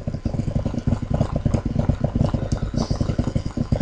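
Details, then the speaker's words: Dayton 1/16 hp 5000 rpm motor, over 40 years old, on a Lutron/Dayton 5 A speed controller set low (2): fast uneven rattle under a low drone; owner suspects worn bushings. "i can hear the bad bushings that are you know bad because they're more than 40 years old"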